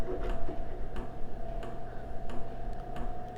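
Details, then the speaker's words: HCalory 4.5 L toolbox diesel air heater (8 kW) just powered on, glow plugs heating: crisp, steady fuel pump clicks about every two-thirds of a second over a fan hum, indicating the pump is working normally. "You can hear the pump clicking now, indicating that it's working."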